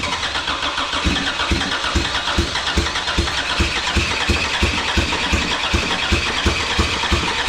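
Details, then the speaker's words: Endurance race car during final race prep: uneven, lumpy running at about three pulses a second, stumbling as if about to die, then stalling; a plug (likely a vacuum plug) had fallen off, probably shaken loose, causing a vacuum leak. "oh wait the pl came off that's probably why it's run for a bit and then stopped"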